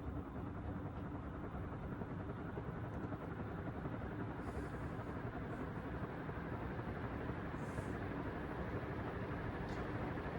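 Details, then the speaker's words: Early 1970s Martec (Wing TAT) 48-inch ceiling fan starting from stationary to full speed: steady low motor hum with faint whirring rumble from noticeably noisy bearings. "right before we go i just want to let you guys hear the awesome noise that is this fan starting up to full speed from um stationary so here we go full power"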